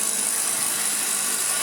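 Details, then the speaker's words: Refurbished Hoover Junior 1334A vacuum, new rear motor bearing: fast light ticking rattle over steady high motor whine from brush roll loose in its mounts; may subside as the end wears in, owner tries wedging card beside it. "it's a little rattle coming from the brush roll which might subside with time"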